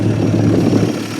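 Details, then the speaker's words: 1950 Studebaker Champion revived after 40 years in a barn, on restart; low steady idle with soft even pulse, no stumbling, ticking or misfire, not smoking; normal smooth idle. "she's running good I like it sounds pretty smooth All Things Considered I like it not even smoking"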